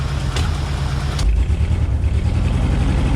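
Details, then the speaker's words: 1968 Ford F100 pickup, long sitting, just cranked: steady low idle with uneven lumpy beat; missing on one cylinder, spark plug or plug wire suspected. "uh it's missing on one cylinder but that baby's idling probably spark plug spark plug wire"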